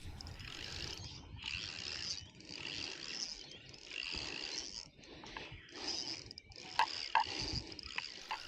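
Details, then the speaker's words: Shimano spinning reel reeled under load: gritty, crunching scrape in bursts from the line roller bearing, before fitting a replacement line roller kit. "Does your Shimano reel sound like this?"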